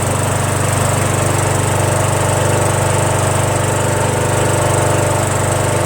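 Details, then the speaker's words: Small single-cylinder mower engine, previously smoking after sitting on its side with oil in the muffler, restarted to check smoke: even steady thump at constant speed, no misses, knocks or surging; starts right up, sounds good. "right up sounds good"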